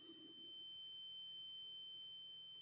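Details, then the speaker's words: Carbon monoxide alarm that started around 1:45 am, seeming to come from the hallway or walls above; a faint, unbroken high-pitched whistle holds steady throughout, source later found as a small cellphone-size box on the floor. "just a few minutes ago that started up sounds like it's coming from the hallway or up above in the walls specifically in the hallway just around the corner there"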